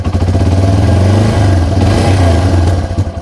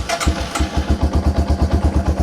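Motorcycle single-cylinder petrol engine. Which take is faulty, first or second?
first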